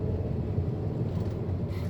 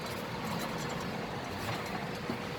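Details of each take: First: 2008 Volkswagen Passat with whooming noise while driving, after hub bearing replacement: test drive above 60 km/h now quiet, smooth low road rumble with no hum, growl or whine from the wheels. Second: 2008 Volkswagen Passat with droning noise while driving, loudest above about 60 km/h: steady rough rumble with a faint humming tone swelling midway as the lifted wheel spins; worn hub bearing, replaced.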